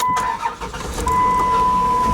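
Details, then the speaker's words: Dodge Caravan, about 140,000 miles, just started after power steering reservoir replacement and new plugs and wires; steady fairly high whine over the engine from air still trapped in the power steering pump, expected to improve. "you got a little bit of air it still sound it's a little bit it'll be better it'll be fine"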